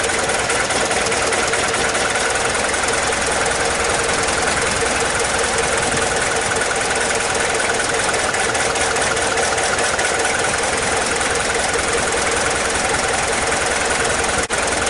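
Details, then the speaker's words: Mazda WLT diesel in a Ford Ranger after VE injection pump swap and bleeding, pump filled with 2-stroke oil, timing eyeballed: fires and settles into a steady even idle clatter, no misses; normal diesel idle. "that weren't bad, was it? For eyeballing the timing and just kind of give it a go."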